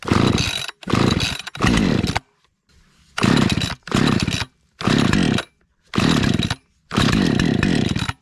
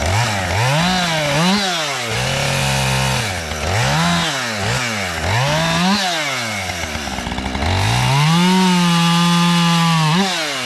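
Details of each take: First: Husqvarna 550XP chainsaw after sitting about 6 months, air-purged: repeated short pull-start bursts that catch and die within a second, sputtering; mildly flooded engine on start. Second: Husqvarna 550XP chainsaw started after sitting about 6 months, cutting a downed box elder limb: crisp two-stroke revs rising and falling cleanly, steady at full throttle; runs healthy.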